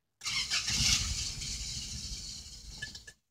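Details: 1988 Toyota pickup 22RE 2.4L after replacing the suspected-bad air flow meter, with the fuel pump primed: the engine catches and runs roughly for nearly three seconds, then cuts out abruptly; it starts slightly longer than before but still stalls, and a code 51 is now stored.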